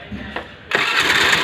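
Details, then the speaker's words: Honda Dio scooter with a self-start problem, self-start motor tested good: short starter whirr, then the engine catches cleanly at once and runs evenly with no starter grinding; noise blamed on the bendix/pet axle. "ஓகேவா, வண்டி start ஆகிடுச்சு."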